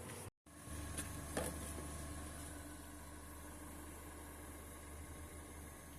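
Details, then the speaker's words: Owner's 2014 Kia Forte idling after fuel pump work: pump swapped in and out with the old pump several times, then the missing fuel filter O-rings were fitted. Low, soft, steady hum with no knocks, misses or surges; running good, normal idle. "All righty, she's running now. Had the pump in. Swapped it in and out with the old pump a couple times. Realized on the filter I didn't have those O-rings. Now she's running. Running good."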